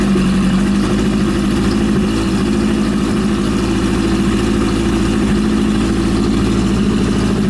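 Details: Suzuki GS750 after top-end engine overhaul: steady four-cylinder idle with even low burble, no knocking or ticking; engine sounds healthy.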